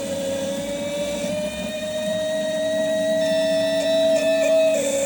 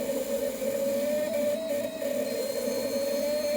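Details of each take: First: New set of six K-Jetronic (CIS) injectors of the type used on a Porsche, tested on an ASNU bench at crack pressure of 3.7–3.8 bar: a steady high-pitched buzz over the pump hum with no stutter. The injectors chatter cleanly. Normal. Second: Used K-Jetronic (CIS) fuel injector on ASNU test bench: steady high-pitched scream with slight wobble as it cracks open at about 2.4 bar, closing near 2 bar without leaking; crack pressure far too low compared with the rest.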